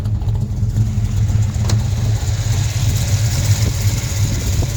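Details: Buick Skylark V8 with sonic-cleaned carburetor, 14.5 air-fuel ratio, timing 12 with 24 total in distributor: steady even low rumble, no knocks, misses or hunting; smooth healthy idle.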